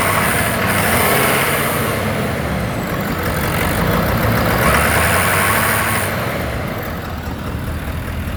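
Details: Ford F250 with cylinder 5 imbalance code, at high idle when hot with no smoke: raspy buzz from a cracked intake valve pulsing back pressure through the intake pipe; later repaired.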